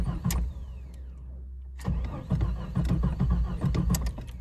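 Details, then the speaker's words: 1993 Jeep Cherokee, sudden stall then no start; fuel pump heard running with relays jumped: brief pump whir then rhythmic starter churn that never fires; crank no start, ignition coil suspected and to be replaced. "so no start so I pulled out the jumper and I going to put back the relay so that means uh I would suspect the coil"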